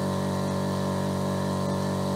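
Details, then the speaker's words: Mollar AC1550BP-R Black Panther 50 L oilless compressor (1 HP, 2,850 rpm) filling toward 8 bar, under a minute in: steady hum with fine even buzz, no knocking or rattling; measured 70 dB, quieter than speech; normal running. "Jadi intinya mesin ini lebih senyap dibandingkan dengan kalau manusia berbicara secara normal. Oke? Coba saya diem ya. Nah, dia berada di 70 desibel."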